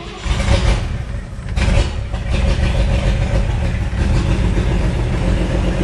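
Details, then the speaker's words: 1958 Chevy Apache with a replacement used engine, first start after priming the carburetor with fuel; deep cranking catches and settles into a steady, heavy V8 idle; it runs, though probably over-fuelled. "told you it runs I think I got too much fuel in there though"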